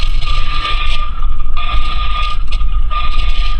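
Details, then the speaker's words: Rear differential whine on and off the throttle, louder under load, picked up by an electronic chassis ear sensor: a steady mid-pitched whine over driveline rumble; the rear differential needs replacing soon. "and off the throttle it makes that whine and I can hear it through the tool"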